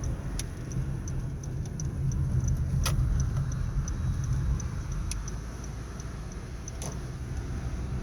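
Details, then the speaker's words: 2013 Honda Civic driving over bumps, recorded from inside: sharp scattered light clicks over steady road rumble, heard both sides, no noise change on turns; cause is a loose plastic hubcap, not suspension or wheel bearing. "Driving around, you hear like a little clicking noise. You think it's something with the wheels, the suspension."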